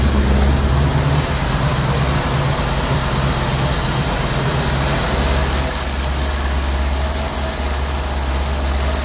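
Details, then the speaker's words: C4 Corvette V8 idling after new spark plugs and distributor cap: steady idle with a light, uneven tick about three per second; owner suspects the rear spark plug is not fully tightened. "seem like that back sport plug Lo all the way in cuz I hear it ticking so what I'm have to do is take that back one off and actually tighten it up a little bit more CU that's the only one I hear"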